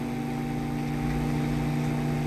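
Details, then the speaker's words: Electrolux MF41 31-litre microwave after repair: smooth, even low hum with only a slight jolt at start, no buzzing or rattle, heating water normally; normal transformer hum. "novamente vocês conferir o barulho normal ele dá aquele tranco né que esse aqui dava até um tranco no início"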